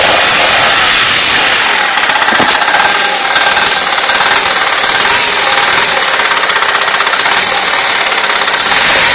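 Steady engine run with a faint, uneven tapping, roughly four knocks a second, riding on a hissy background; a knock of unknown cause.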